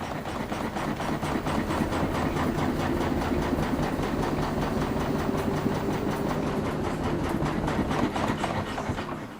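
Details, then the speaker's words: New LG WM3400CW front-load washer, level, on spin. Heavy regular thumps, about two to three a second, bang both sides of the drum; a technician found a loose weight, and once repaired it ran without banging. "It's banging on both sides of the wash machine left and right"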